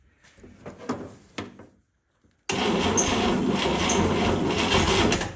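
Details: 1960s International Scout 800 Aristocrat engine, freed after being seized and long unused, with spark confirmed by test light. Irregular cranking bursts, then a long steady crank with one weak firing pop that never catches: cranks but no start.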